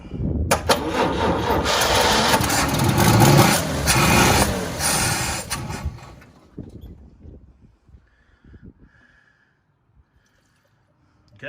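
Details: El Camino with 350 small-block, 65,000 original miles, first start attempt in two years with gas poured in: starter churns engine steadily about six seconds without catching, then stops. Cranks but won't start; cause not confirmed.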